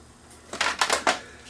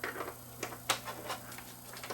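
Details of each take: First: Toshiba SD6100 DVD player (2008) with no-play fault, at power-on: quick burst of three or four clattery mechanical clicks from the loader, then quiet; a belt suspected, possibly more. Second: Toshiba SD6100 DVD player from an estate with a no-play fault, tray belt left original and a swelling capacitor noted, powered up to test the tray; quiet motor hum, light clicks and a firm closing clunk; tray doesn't slip, working normally.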